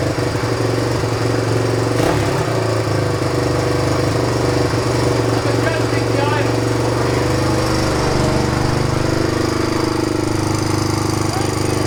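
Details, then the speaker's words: 1997 Suzuki DR350 single-cylinder, neglected, caught fire last run, accelerator pump missing; after idle speed and mixture screw adjustment the idle wavers and hunts, never settling; still unsteady idle with a tendency to backfire, cause suspected, not confirmed. "it's better than it was but still has an unsteady idle and a tendency to backfire"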